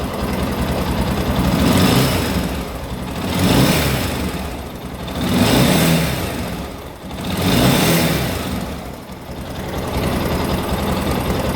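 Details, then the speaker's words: Honda NX Falcon 400cc single-cylinder, still cold, revved after cylinder head repair (damaged camshaft fixed, oil cooler fitted): it revs up and settles again evenly and cleanly, with no top-end tapping or knocking. Healthy. "a NX Falcon ela faz esse barulho aqui ó vou acelerar ele agora galera"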